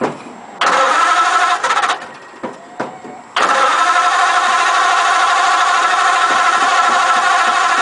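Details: Model A roadster on '32 rails with 276-inch flathead, parked outside under a tarp about 18 months; carbs just primed by fuel pump: starter cranks steadily with a few uneven puffs, it coughs once but never catches, so long crank, no start.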